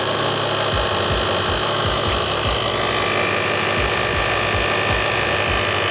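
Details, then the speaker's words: 2012 Mercedes-Benz GL350 Bluetec (X164) after replacing the failed, leaking Airmatic air suspension compressor with an Arnott unit: a steady pumping hum with soft low thumps about twice per second over the idling engine, the new compressor running normally. "Okay. Compressor clicked. I can hear it. Let's see what's going on. Do we have pressure? Does it work?"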